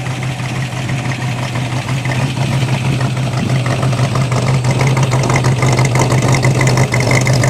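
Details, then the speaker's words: 1957 Corvette 283 small-block V8 (270 HP, factory dual quads, 3-speed manual, 4.11 gears) idling just after start-up; a deep, steady idle with a crisp, even valvetrain tick about three times a second, the normal clatter of its solid lifters. "still has the solid lifters too you'll be able to hear those yeah solid lifters are the best though"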